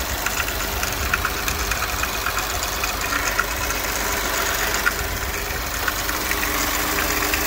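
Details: Audi RS5 2.9 V6, February 2019 build, 78k miles: light, fast ticking keeps time over a smooth idle, sharper than the engine's hum; valvetrain noise, owner suspects the rocker arms.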